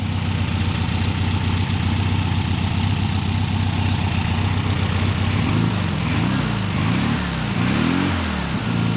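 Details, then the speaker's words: VW 1600 flat-four after 10 years sitting in salt spray, running on fast idle for about 10 minutes: steady even fast idle without miss, clean throttle blips rising and falling smoothly; normal running. "Yeah. Gotta love the old Volksy motors. Been sitting there running on fast idle for about 10 minutes, just waiting on it to run out of fuel. Happy as Larry."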